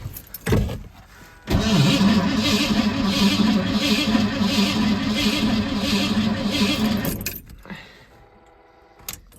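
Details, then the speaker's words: 1980 Ford F-150 351 Windsor with long-tube headers, after starter replacement, in freezing snowy weather on an AGM battery; starter turns engine over slowly and laboriously without catching, not binding; owner suspects cold causes slow cranking. "sounds good enough to me it still sounds like it's cranking really slow but honestly that could be because of the cold it's not binding up or doing anything weird"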